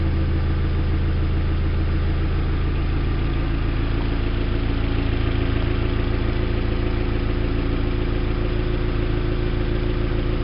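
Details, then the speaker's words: 2001 Audi A4 1.8T Quattro first start after an 11-hour oil pan replacement: steady low drone with a slightly uneven pulse underneath; owner says it didn't sound good when it started, cause unconfirmed; rough running after start. "good I can't tell if it's good or not it didn't sound good when it started did you hear that"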